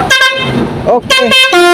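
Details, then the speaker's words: Basuri multi-tone air horn on a truck, one valve broken or burnt, being fitted step by step: short bursts of horn tones stepping between notes, one note missing and the sequence uneven. "Sekarang saya mau bunyikan cuman ini agak kencang ya karena suitnya gogong satu atau terbakar satu ini saya bunyikan sebentar ya"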